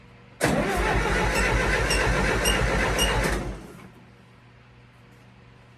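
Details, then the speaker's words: International 2424 re-ringed to cure smoking, compression test on cylinder two, suspected of not firing: even cranking at about four strokes a second reads about 90 versus 120 on cylinder one. A leak, possibly at the gauge, is suspected. "we got 90s sounds like it's leaking tighten that up at all"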